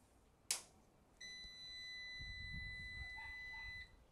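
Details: LV5048 inverter on a DIY powerwall battery pack, about 57 V and nearly full: a switch click then one clean high beep of about two and a half seconds; inverter powering up normally.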